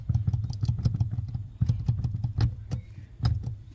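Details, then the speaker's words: Honda Vezel after greasing the dry brake light switch: brake pedal pressed repeatedly with only soft clicks over a low idle rumble, no squeak left. "No more squeaking, and here is where the switch is located."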